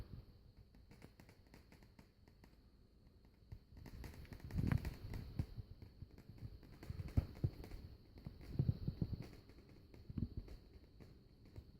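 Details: Vicol Shigaclone CD player mechanism making a strange abnormal noise: irregular knocking and clicking with dull thumps every couple of seconds over a faint high whine.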